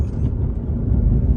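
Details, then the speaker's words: Lexus CT200h (Prius-based hybrid) test drive after replacing the sunroof weatherstrip seal: steady low road rumble with no clacking or rattling from the sunroof, though some front-end and steering-column looseness is noted over bumps. "But nothing from the sunroof. So it seems like it's fixed it for sure."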